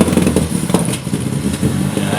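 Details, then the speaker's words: MGB GT petrol engine after carb rebuild, carbs reset with Colortune and electrics already replaced: idles with uneven, stumbling beat as if one cylinder keeps missing; misfire persists, cause unknown. "doesn't sound any better, does it? So we've definitely got some issue somewhere. It seems to miss, but we've changed all the electrics, we've set it up carb-wise."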